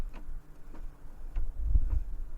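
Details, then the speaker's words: Front-wheel-drive car jacked up with one front wheel raised and rocked back and forth by hand: dull clunks about every half second show driveline play, which could be the driveshafts or the differential. "звуки какие то это уже плохо опять же этому может быть люфт в приводах ну где угодно по идее"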